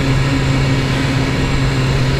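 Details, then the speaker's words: 2019 BMW S1000RR four-cylinder superbike riding in 1st gear at about 4000 rpm, already loud: deep, smooth, steady exhaust drone with even firing, no knocks or misses; mirrors vibrate slightly at these revs; normal running. "Okay, wir sind gerade mal bei 4000 und das Bike ist schon, ich würde sagen, laut."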